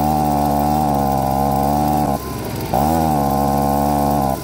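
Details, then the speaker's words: STIHL BG55 two-stroke leaf blower with a new OEM carburetor revs, bogs under throttle, then recovers because of a lean high-speed mixture; the fix is turning the H screw out half to one extra turn. "what you need to do to fix this problem is turn out the h screw with a slotted screwdriver i'm going to go out about half a turn to an extra turn here so by turning out the h screw like i did a bit what that does is it allows more fuel to get to the engine so it can rev up"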